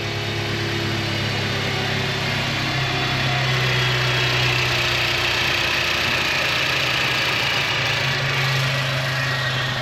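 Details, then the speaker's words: MK6 Jetta GLI 2.0T, warm idle just after new APR coil packs and NGK RS7 iridium plugs: fast tick with a skipping beat as if a beat drops; rough running, owner unsure if misfire, will recheck plugs and connections. "I'm not sure if it's a misfire or what it exactly is but it almost sounds like it's it's got like a skipping beat to like the the ticks it's weird"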